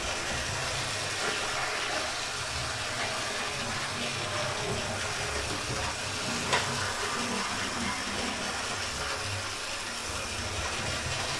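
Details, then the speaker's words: Oxford Rail Class 415 Adams Radial 4-4-2T model on a Gauge Master Combi controller, full speed after main gear greased and pickups adjusted: even light whirr with faint wheel clicks, a lot quieter than before, no grind; normal running. "Well, I've thrown that in both directions and seems to be running okay."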